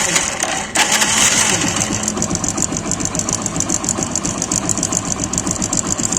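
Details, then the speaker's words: Hero Splendor Pro motorcycle idling with a light, fast, slightly uneven metallic rattle like a timing chain, even though the timing chain was replaced not long ago; chain-like rattle at idle. "यह हल्की हल्की जो नचना की आवाज आ रही है वीर से यह आवाज आ रही है"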